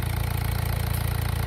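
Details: 1.6 HDi diesel idling smoothly with a steady, even low rumble, no misfire or knock; the blue smoke and unstable idle had been traced to a loose injector leaking past its seal, since retightened.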